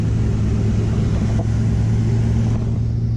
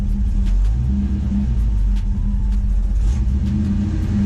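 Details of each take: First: 1985 Ford Mustang LX 5.0 V8 after a cooling system flush, cruising on the road: deep, steady V8 rumble, smooth with no ticks or rattles; temperature and oil pressure holding normal, engine running healthy. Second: 1985 Ford Mustang LX 5.0 V8 with throttle body injection, warming up at idle: low V8 rumble never settles, speed drifting up and down; idle hunting, cause unknown, oil pressure good.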